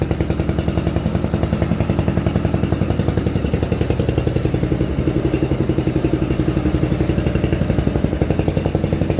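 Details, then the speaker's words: Free roadside riding mower running after repair and repaint, puffing a little smoke the owner thinks is oil burning off. Steady, even low thumping at constant speed with no misses or knocks; runs well. "woo oh flankes might just be oil burning off of it cuz it ain't coming out of the hole motor runs good it's already slowing down start right up"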